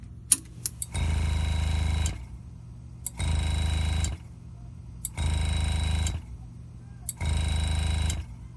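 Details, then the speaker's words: Air compressor feeding a Graver Helper/GraverMax pneumatic engraving machine at about 30 psi, set to handpiece one, which audibly leaks air: the motor hums about a second, stops, then restarts, repeatedly. Short cycling caused by the handpiece air leak. "what's happening is the air compressor is trying to stay at an equal pressure with the engraver the handpiece set number one is leaking air when i hold it to my ear i can hear it leaking air and that's why this won't cut off for more than a second when i have the engraving machine on"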